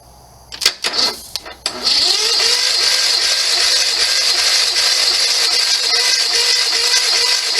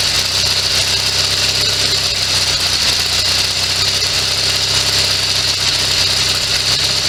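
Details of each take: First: Sears SS16 garden tractor, Onan twin-cylinder, sat several years; steady starter churn about 3.5 turns per second, spins freely but never fires. Crank no start, probably no spark; ignition points dirty. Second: Sears SS16 garden tractor with Onan twin-cylinder engine, revived after sitting several years, running from an auxiliary gas tank; steady, even run under a constant hiss, no misses or surging.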